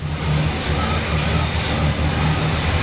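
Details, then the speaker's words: 1968 Pontiac Tempest Custom Convertible V8 after carburetor change, vacuum advance question pending, choke not yet hooked up: deep low burbling idle with smooth even lope, no misses, ticks or knocks; runs healthy. "Wow, she sounds good. She sounds real good."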